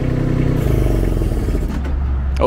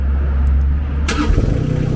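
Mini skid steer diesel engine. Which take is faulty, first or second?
first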